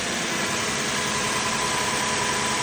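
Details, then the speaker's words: 1995 Toyota Celsior (LS400) 1UZ-FE V8 just after full tune-up with new spark plugs, ignition wires, coils and air filter: starts right up into a smooth, even, healthy idle with no misses, knocks or stumbles. "That's what you want. You want to get it started right up. Let's get it. Sounds good."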